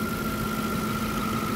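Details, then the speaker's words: Audi A8 4.2L V8 just restarted after reassembly and a week standing, warming up: smooth, even idle with steady low note and faint high whine, no knocks or misses; healthy, slight smoke thought to be burning residue. "man hört halt am Anfang immer ein bisschen dass er halt erstmal Öldruck aufbauen muss das ja ist normal"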